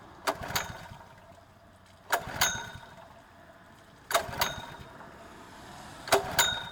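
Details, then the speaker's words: Honda GX120-powered water pump, fueled and water connected, brought in for carburetor cleaning: four pull-cord yanks about two seconds apart, each a brief rattling whirr that dies away; never fires because the engine switch is off. "helps if you turn it on dum-dum"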